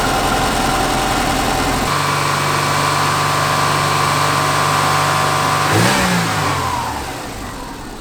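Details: Subaru Forester after replacing failing timing belt tensioner and whole timing belt kit; engine catches and settles into a steady, even idle, then a clean rev rises and falls smoothly with no rattle from the front; normal start and rev.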